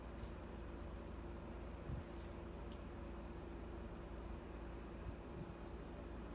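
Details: 12,000 BTU inverter mini split in an enclosed racing trailer, heat mode, indoor unit heard after about 30 seconds of running: soft, even airflow rush with a faint steady hum, no rattles or squeals; normal operation.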